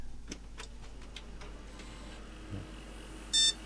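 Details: Car-boot-sale retro gaming PC after a dust clean: quiet room, then one short clean beep at power-on; board passes its self-test and starts normally.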